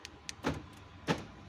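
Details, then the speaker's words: Ford EcoSport with a no-start, dead central locking and fault code U201F13 (external receiver failed), after the fault was found and fixed: two crisp clunks about half a second apart as the lock actuators snap; central locking working normally. "கண்டுபிடிச்சி இப்போது பார்த்தீங்கன்னா பாருங்கள், central லாக்லாம் work ஆகும்."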